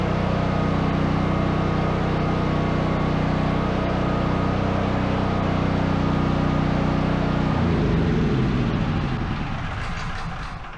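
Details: Brand-new Duromax 13000 generator after replacing the choke stepper motor and fitting a new spark plug gapped about 0.029–0.030 in. Fires right up with a steady, even drone, no pops or backfires, then winds down smoothly: normal running.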